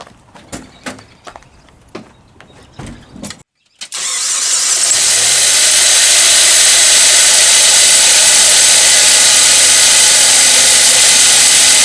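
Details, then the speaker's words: Jeep Wrangler YJ, engine ran low on oil a couple of times, heard at start-up under the hood: a few clicks, then a loud steady hissing grind from the belt-driven accessories, external rather than internal. Worn idler pulley and alternator bearings both replaced. "it's not a knocking or a ticking or something that sounds internal it sounds like something external and the best way to find out what's making that noise is to take the belt off"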